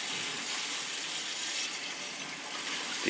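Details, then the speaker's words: Crown gas boiler (converted from oil, installed 3-4 years earlier), purging third-floor heating zone: steady rushing water then sharp sputtering bursts as air purges; feeder possibly stuck, air in the zone. "could have been the feeder was stuck to when i got here that's enough to do it stock feeder oh yeah there's definitely air in this one hear it"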